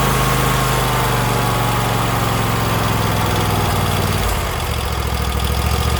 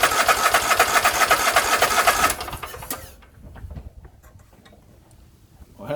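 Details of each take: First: Husqvarna YTH24K48 lawn tractor after replacing a small holed fuel hose that caused no-start: engine runs evenly, steps down in speed, then shuts off cleanly; healthy running. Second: Husqvarna YTH24K48 lawn tractor cranking with fuel pump-to-carburetor line removed: starter churns steadily, engine never catches; no fuel coming from the pump, suspected clogged line, filter or tank debris.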